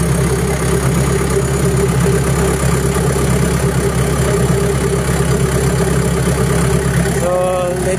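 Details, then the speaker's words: Diesel after electric fuel pump check: steady, even idle with constant low drone, stable RPM, no misses or knocks and no blue smoke from exhaust; normal idle. "so no blue smoke or rice smoke on the exhaust Spice and the engine is a RPM is stable and pump is also b"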